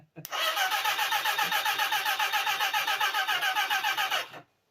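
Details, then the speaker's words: Motorcycle engine that sat dry for 6 years, cranked on the starter after new oil and filter. Even, steady cranking at nearly four pulses a second for about four seconds; the engine spins freely without firing. "Oh, I heard the engine turn. Mm. I heard it. Let's move that wire out of the way. Oh, I can hear the oil. I can hear the oil."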